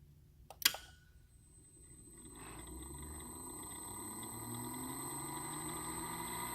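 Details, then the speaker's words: TVT smooth smart motor with spring-applied brake, 10-second ramp to 50 Hz, heard from the drive side; one sharp click as the brake releases, then a faint whine climbing smoothly in pitch as the motor accelerates, normal brake release. "here's a run listen for the click from the driver perspective"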